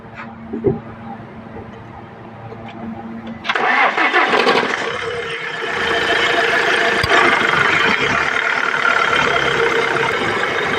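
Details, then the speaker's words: Tata Harrier diesel at idle: steady high whine from the power steering pump over the idle after start; steering fluid badly degraded, never changed, blamed for the noise; ball joint and suspension arms also worn. "तो ये steering pump के पास से आवाज आ रही है इसकी। अब मैं इसका ऑयल दिखाता हूं। स्टीयरिंग ऑयल कितना खराब है।"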